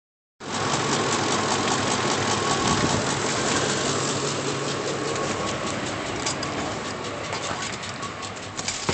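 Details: 2004 Ford F-150 5.4 V8 with 123,000 miles idling with a misfire: rough, uneven stumbling beat, engine shaking violently.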